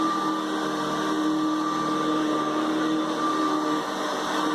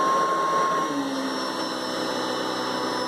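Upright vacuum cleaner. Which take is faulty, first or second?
second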